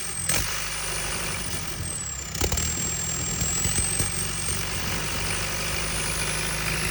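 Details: JCB 220 Ecomax diesel engine running with occasional uneven thumps that break the rhythm every second or two; intermittent engine misfire.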